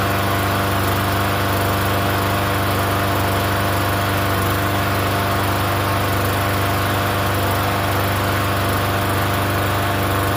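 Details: Free Yard Machines 21-inch self-propelled mower, primer-style engine, unused for over a year, restarted after priming, running on gas: steady even buzz at constant speed, no misses or knocks; running fine.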